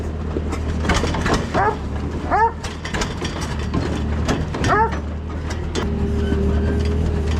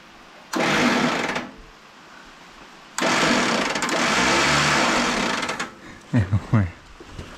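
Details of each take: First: Allis Chalmers tractor, believed late-1940s WC, possibly 6-volt positive-ground system, first run after roughly 15–20+ years sitting: slow, steady low idle throb with a few clanks and squeaks around it; engine running evenly, normal idle. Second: Late-1940s Allis Chalmers WC tractor, not run for 20+ years, starter wired by touching two wires together: fast high whirring bursts with no cranking beat, starter spinning freely without engaging; sparks seen up top.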